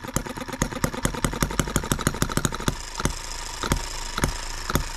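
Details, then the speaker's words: Small single-cylinder H73 engine, freshly repaired, on an endurance run in a 100°F shop about 1:22 in: quick sharp pops falter into slower, irregular beats. The carburetor drifted out of adjustment and was then tweaked; an inlet valve was nearly stuck earlier. "so three minutes into it and our carburetor decided to adjust its own"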